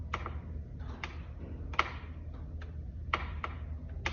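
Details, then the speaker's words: Mountain bike rear shock with Fox roller eyelet bearing kit, front mount undone and shock pulled sideways: sharp irregular dry clicks, about seven in four seconds, from the bearing cups shifting in the shock eyelet; creaking eyelet bearings. "There's a good creak. Just some lateral force like that is causing those cups to actually shift in the shock eyelet."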